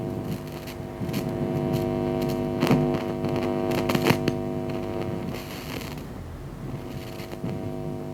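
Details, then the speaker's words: LFD NCSE amplifier, microphone near the speaker, before cleaning with Service-Sol: steady mains hum broken by scratchy crackling bursts each time the volume knob is moved. Crackly volume potentiometer. "But hopefully what you'll be able to hear is, when I touch the volume control and sort of move it any amount, you should hear a crackle."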